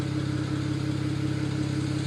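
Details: BMW 135i at idle: rhythmic stumble with beats dropping out at an even pace, one cylinder misfiring; no fault code set.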